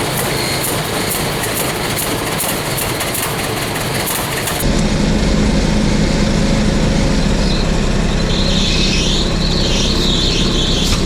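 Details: 1926 Hart-Parr 16-30 tractor, unstarted for over a decade, turned over by a Predator 301cc pony motor belted to the PTO pulley; small motor drones while cranking, then the big engine catches with a deeper, louder note and keeps running: normal start.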